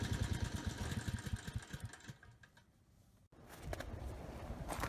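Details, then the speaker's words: Briggs and Stratton Storm Responder generator single-cylinder engine after cleaning main jet clogged by untreated gas: started first pull, even steady beat, no hunting or surging; normal steady running. "Okay, good. Started first pull. The engine sounds good. No hunting or surging. Engine speed is good."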